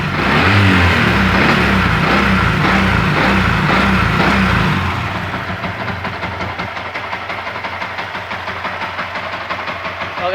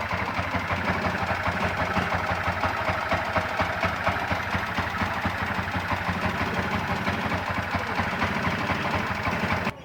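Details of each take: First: Yamaha MX King after cylinder head work fixing ticking from valves damaged by high-duration camshaft: settles into even beat about four a second with no head tapping; smoother than before. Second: Yamaha MX King (YR15) single idling with quick, uneven ticking from the cylinder head before teardown; valve train noise attributed to worn valve clearance caused by a high-duration camshaft.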